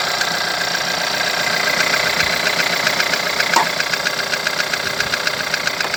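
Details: VW 1.4 TSI petrol engine, over 170,000 km, timing chain recently changed, no oil consumption: sharp, fairly even ticking knock about two or three per second at steady idle; cause not confirmed.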